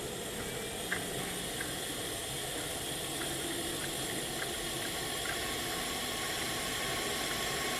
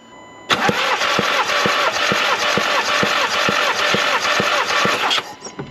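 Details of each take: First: Skoda Octavia vRS engine on leak-down test with gauge pressurised, valves closed: steady airy hiss of air blowing past the rings straight into the sump. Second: Skoda Octavia vRS engine, low mileage, during compression testing with good battery: starter spins the engine evenly with regular compression beats; cylinders 2–4 at 12.5–13.5 bar, cylinder 1 has no compression.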